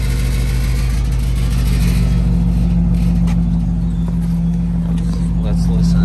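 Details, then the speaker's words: 2006 Porsche Cayenne Turbo S bought at auction listed as non-starting, started right away with a jump pack: a deep, steady, even V8 rumble with slight swells when blipped, running healthy. "they couldn't start it up at the auction i started up right away"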